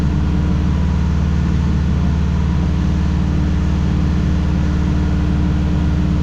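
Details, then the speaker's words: 2005 Dodge Ram 1500 4x4 with swapped-in donor Hemi engine and new fuel pump, idling while being warmed up; steady low idle with a faint uneven beat, still missing. Owner thinks driving it more may help. Muffler blown out on top. "all right well it don't sound too bad sitting there idling but it's still got the Mist to it really need to get it down and uh get to put it a little bit more uh work I guess drive it around I think that help"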